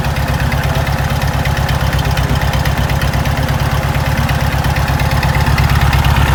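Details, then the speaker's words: 1974 Volkswagen Super Beetle project car just after starting: even steady low chug with regular firing pulses, no misses or knocks; idles normally. "So you can hear she's running all right."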